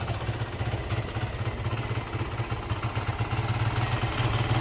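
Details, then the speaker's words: Barako 175 single-cylinder, cold start after a new float valve seat, carburetor tune, valve clearance, decompression adjustment and cleaning of the tank, air filter and plug. It now starts on one click and thumps at a quick, steady idle with no knocking. "Is-start na siya mga lods. Yan. Bang Click hindi na siya mahahirap buhayin mga lods. An yan easy click na siya mga lods. Madali na siyang buhayin eh."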